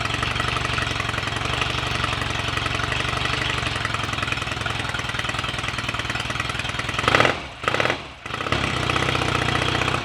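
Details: Royal Enfield Rickman Interceptor 750cc parallel twin, first start after owner engine rebuild and gearbox rebuild, tick over not yet set: even, steady fast idle, then a couple of throttle blips; sounds good mechanically, started willingly.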